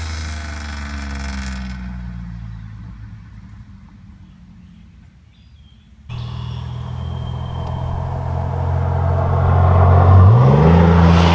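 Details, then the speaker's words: 1997 Chevy Camaro RS 3.8L 3800 Series II V6 with Cherry Bomb Turbo muffler, after adding tailpipe turn-down: deep bassy exhaust rising smoothly under acceleration; interior drone gone. "it's deadly quieter on the inside that's one of the benefits to having the tailpipe finished on this car the interior noise is gone there's no noticeable to room at all"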